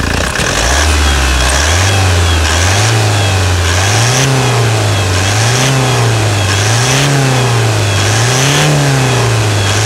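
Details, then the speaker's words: Toyota Hilux single cab diesel, engine revised after the fuel filter housing had been found mounted backwards; steady diesel clatter rising and falling smoothly with each rev, no knocks or misses; normal idle and revving. "e é muita melodia é o urro bestial de um animal selvagem de tiranossauros rex"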